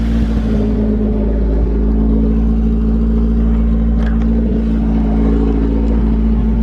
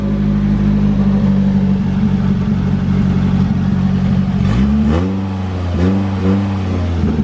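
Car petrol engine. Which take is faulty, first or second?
first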